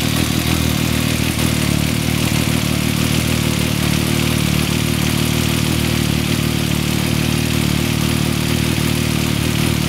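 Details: 2014 Yamaha MT-09 triple idling at about 28,000 km with the cam chain tensioner deliberately loosened, giving a busy metallic chattering rattle over the engine beat; the noise first appeared around 6,000 km and was fixed with an M6x25 bolt lightly backing the tensioner.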